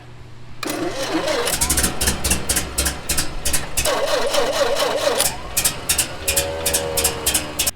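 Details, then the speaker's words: 1922 Bentley at the IMS Museum, fitted with a sourced electric starter motor like the original street car; steady rapid cranking whirr, then the engine catches and runs; starter works fine, no hand cranking needed. "The original street car came with an electric starter motor, so we did manage to find one. So we fitted it, and it worked just fine."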